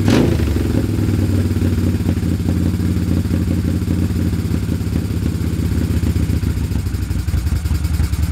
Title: poor idle, misfire left cyl.